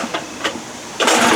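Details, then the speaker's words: Two-stroke outboard, set to the start position with choke and fuel on: repeated recoil pulls give short rasping cranking bursts, then a longer spin, but the engine never catches. It cranks but won't start. "it so that's what happens pulling and pulling and pulling so what i started doing was this kind of i don't know what it does but it seemed to be working when i did that"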